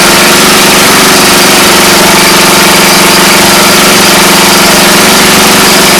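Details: Briggs and Stratton engine after the starter clutch was removed and serviced: steady, even drone with a fast regular beat and no screech from the clutch after several seconds of running; normal running.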